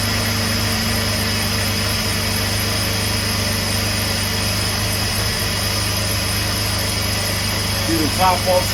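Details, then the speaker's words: 2004 Jeep Liberty after replacing the high-pressure power steering hose, running at idle while bleeding by turning the wheel lock to lock: constant whine over a faint low hum, power steering pump still carrying air. "you get some air off the system got right that noise w a little bit"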